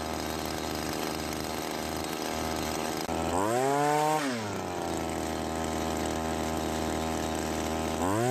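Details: Cub Cadet commercial two-stroke trimmer after carburetor rebuild for hard starting (hardened metering diaphragm): buzzes steadily at idle, revs cleanly up and down twice; runs and responds normally.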